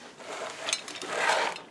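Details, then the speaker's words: Hemi brake booster, 1970 Road Runner, engine off in silence: two soft airy hisses rise and fade as the pedal rod moves, air moving out of the rear hub as it should; normal booster air exhaust. "That's air moving out of the rear hub like it's supposed to."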